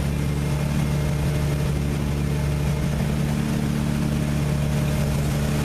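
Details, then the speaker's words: Cold carbureted six-cylinder truck engine, long unused, just started on starting fluid with the pedal held: a rough, lumpy, sputtering idle firing on only about four cylinders until it warms up. "So, it's running, but it's running like crap. It's running on like four cylinders. I can hear it sputtering."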